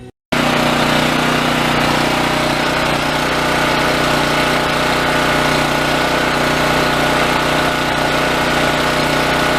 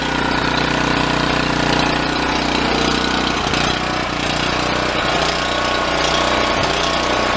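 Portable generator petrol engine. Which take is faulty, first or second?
second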